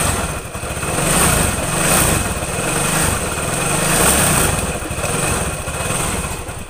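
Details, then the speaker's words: Suzuki Nex II scooter idling: rough rhythmic knock from the middle of the engine, not the CVT (persists with roller housing removed), likely after running out of oil; cracked, collapsed camshaft bearing. "suaranya itu kasar sekali di bagian mesin tetapi ini bukan CVT ini suara timbul dari mesin bagian tengah dari bagian tengah dia meliputi keras sama seker kemungkinan besar motor ini pernah kehabisan oli"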